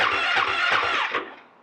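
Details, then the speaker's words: Husqvarna FE 501 in cold weather on its stock, underrated battery, with the cold start button pressed and a five-second start attempt: about four slow, labored starter strokes, then it dies without firing. Slow cranking from a weak battery. "okay then it says at temperatures below 15 degrees several attempts at starting maybe necessary to warm up the lithium ion battery and there by increase the starting power"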